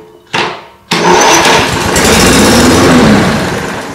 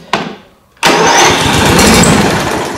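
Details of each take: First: Brand-new Toro 21464 Personal Pace electric-start mower with Briggs & Stratton engine, repeatedly blowing the starter fuse: short cranking bursts that stop dead, locking up on the compression stroke; decompression system suspected, unconfirmed. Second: Brand-new Toro 21464 Personal Pace mower with Briggs & Stratton engine and electric start that kept blowing the starter fuse: short whir then steady spinning churn with no firing, cranking normally this time; intermittent lock-up suspected at the decompression system.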